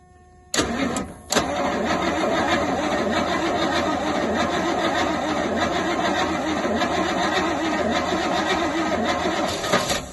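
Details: Rolls-Royce Silver Shadow on a freezing day, with rebuilt fuel pump, fresh fuel through the lines and old plugs still fitted, in park. Starter cranks steadily about nine seconds but never catches: crank, no start; plugs then carbs suspected.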